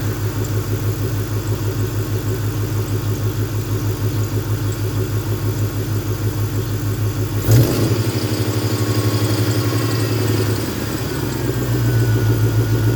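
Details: 1998 Ford Mustang GT V8 after replacing idle air control valve, intake temperature sensor and NGK plugs: steady low idle, revs dip and hang before slowly recovering; not fixed, owner suspects throttle position sensor.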